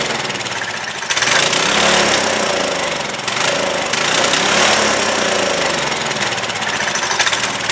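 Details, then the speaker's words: Trailmaster go-kart with Chinese Honda-clone engine, sat over a year, after first carb cleaning: surges and hunts, revs rising and sagging, runs only with choke held closed and dies when released; lean carburettor. "Wow. It's running if I choke it, but when I release the choke, it doesn't want to stay running."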